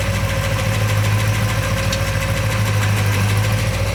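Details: Porsche 928 V8 at idle with air breather hoses off and a new setup fitted; steady, even burble with no misses, ticks or knocks, running very smoothly.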